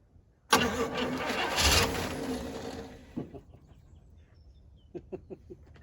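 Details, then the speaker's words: 1966 Pontiac Grand Prix, 389 V8 four-barrel, sitting since 1992, on fresh 91 octane with carburetor primed: about three seconds of steady cranking with no firing. Cranks but won't start; no fuel showing in the fuel filter. "oh maybe the filter stopped up I think I found the problem you tell me look at that dude right there that's not gasoline so we got a little work to do then we'll hear it run"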